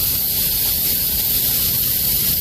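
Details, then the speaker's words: Prime Inc. semi tractor at a Walmart unload, trailer dollies down and disconnected: a steady, loud, non-pulsing hiss of air as the airbag suspension dumps to drop the truck so it can pull out without the trailer slapping the frame; normal. "Walmarts are always dolly down, disconnect, and pull forward. So Zack's gonna pull forward. And then if you hear that, that's the suspension dropping."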